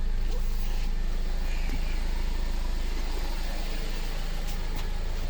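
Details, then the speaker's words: 2015 Mercedes-Benz CLA250 after fuel pump replacement for crank-no-start with codes P008700 (fuel pressure too low) and P1CCF00 (high pressure not built at start): steady, even idle with a smooth low pulse about three per second, no misses or ticks; repaired, running normally. "anyways the the the car is fixed as you can hear car is running"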